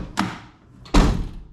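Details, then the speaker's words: Mercedes 190E door being shut twice: each solid thud is followed by a brief hollow buzzy rattle from a loose inner trim panel with play at a corner and the middle; the owner plans thin strip magnets or foam to stop it. "and that way it just keep it from rattling in the door when you shut them right now turn this light off move out of the way if I shut it right now you guys can hear that"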